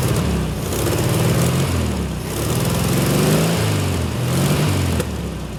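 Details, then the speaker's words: 1972 VW Super Beetle first start after wiring repair, fuel tank possibly dry with no fuel seen at filter, battery terminals loose: steady churning crank with low uneven chuffs, almost catching once but not firing; engine trying to fire. "my battery terminals aren't tight enough let me wiggle them a little bit she wanted to pop didn't she"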